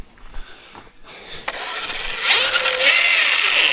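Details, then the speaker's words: Traxxas Rustler 4x4 Ultimate on its first run. A harsh, gritty rasp with a wavering whine as the motor spins up: drivetrain grinding, suspected spur/pinion gear mesh, stones ruled out, not yet confirmed. "Oh, okay. That to me sounds like mesh. Yeah, that's mesh, guys."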